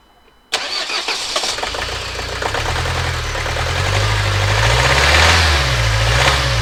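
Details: Renault Trafic diesel started after a new fuel filter, EGR already checked: starts straight away, then a lumpy, uneven idle with a wavering beat; not the EGR valve, glow plugs, injector or water in the fuel suspected, unconfirmed.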